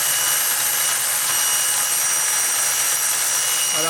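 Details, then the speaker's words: New steam turbine at about 45 psi powering AC and DC loads, record platter switched on: high steady steam hiss, turbine note dropping as the load pulls its speed down. "if you really want to hear that turbine get loaded i'll turn this platter on you can hear it really pull the turbine down"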